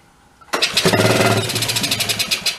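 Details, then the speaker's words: 1983 Suzuki 125 three-wheeler ATV, long stored, primed, with choke: fires with quick even pops about two seconds, then weakens and dies; fuel delivery suspected, pump to be checked, unconfirmed. "yeah it runs for a second dies [Music] [Music] runs and does runs and dies"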